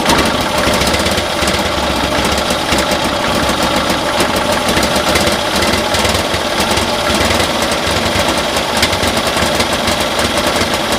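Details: 1972 Cushman Truckster pickup twin, new carburetor and vacuum manifold fitted, same issue: runs rough with stumbling irregular firing through the revs, misfiring as rpm increases; spark then compression to be checked, owner suspects timing.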